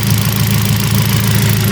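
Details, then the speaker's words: Kia Picanto idle after repairing the ECU's shorted injector driver IC for injector no. 2, which had stuck open and caused rough running and white, fuel-smelling smoke: smooth, steady low hum, check-engine light cleared, normal injection smell, no more exhaust smoke. "Sudah normal ini suara juga sudah normal baunya sudah khas injeksi knalpot juga tidak berasap lagi."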